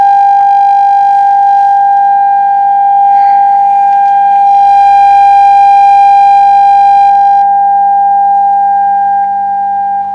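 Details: Radione WSH3 vintage tube radio after repair, tuned and tested with an HF signal input: a steady, clean tone around 800 Hz holds without hum, crackle or dropouts, so the receiver reproduces normally.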